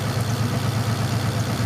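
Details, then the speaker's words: Turbo Cobra after the idle screw was set, previously idling at 500 rpm and dying: now a smooth, even idle around 1,000 rpm with a regular low pulse, no stumbling, no stalling at startup; normal idle. "And so now it idles right about at 1,000. Maybe just a little bit lower, so it idles real nice and smooth. It doesn't die when you first start it up."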